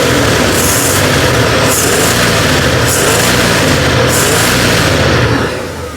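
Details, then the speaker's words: 1976 Ford F150 V8, rebuilt top end, 4-barrel intake, new Edelbrock AVS2 1915 carburetor after screw adjustment in Idaho: steady even idle burble, no misses or hunting; idling smoothly. "There she's running pretty smooth."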